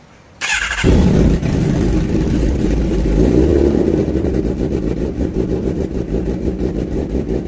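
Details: Kawasaki ZX10R four-cylinder with hard/no-start complaint, after cylinder 3 valve job (compression now 172) and cleaning of all 8 injectors, coolant not yet added: starts at once, steady even idle with smooth blips; running normally.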